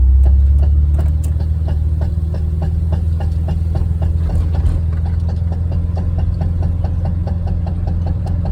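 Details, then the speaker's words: VW Vanagon under load on uphills: steady engine drone with sharp regular popping, about three to four pops a second; stops when gas released and rpm drop, returns with throttle, seems gone at highway speed but may be drowned out. "on uphills. If I release the gas and the RPMs drop, it'll go away, and it'll start again if I give it gas. RPMs go up."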